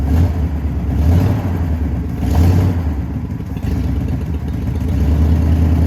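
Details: 1979 Jeep J20 V8 with dual exhaust, low compression after a year sitting: deep, uneven chugging with an irregular lumpy beat as it revs, a steady miss from weak compression on some cylinders.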